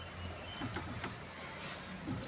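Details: Hyundai Eon steering making short, dry creaks in uneven bursts over a low engine hum while the wheel is turned; creaking when turning.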